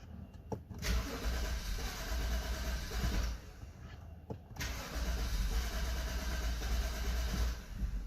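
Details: 2012 BMW 528i (F10), cold morning start: it cranks, catches briefly, dies, then cranks again before running. Hard cold start fixed by replacing a faulty eccentric shaft sensor.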